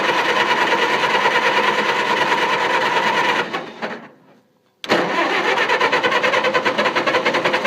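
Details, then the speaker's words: Engine that had been running well, worked on in the dark after the lights went out: steady starter cranking at about three beats per second, a pause, more cranking, never catches; no start, suspected flooded or moisture in the distributor cap. "It's flooded. Pull that distributor cap off and wipe it. I bet it's got moisture in it."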